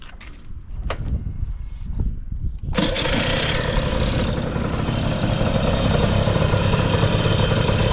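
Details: Honda Lead 90 scooter (HF05) engine catches after a few rough seconds, then settles into a smooth, quiet, even run with no knocks or rattles; no abnormal engine noise.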